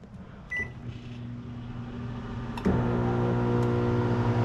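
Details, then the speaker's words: GE microwave that won't heat: keypad beep and fan hum, then a harsh loud electrical buzz, louder than normal, when running; suspected faulty magnetron, replaced. "Um, it's not heating anything up and it makes a loud buzzing noise. Louder than normal."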